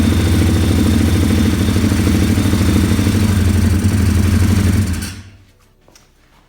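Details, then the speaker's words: 2020 Orion RXB 150 pit bike, bought used: small single revs unevenly with a choppy, lumpy beat for five seconds then cuts out; owner suspects a bolt-on carburetor never jetted, smoke blamed on overfilled oil. "It doesn't run very good because this engine does not run very well because the carburetor is not jetted at all. I think homie just bought the carburetor and put it right on the bike and hasn't ran right since."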